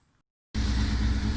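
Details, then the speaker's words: 1999 Kawasaki ZX-6R four with cleaned carburetor refitted and mixture screws adjusted, on a very cold day: smooth, even idle around 800 rpm with no misses; running nicely. "as you can hear she's running quite nicely and took over about 800 rpm and the it's very it's very cold day i'm happy with how things are going"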